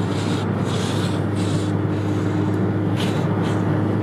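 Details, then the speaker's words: Nissan GTR at highway speed, about 85 mph, turbo audible on acceleration: constant loud rushing hiss over road drone with pulsing gusts; wind noise leaking past the window corner, worsening with speed. "but listen this is that amount of wind noise"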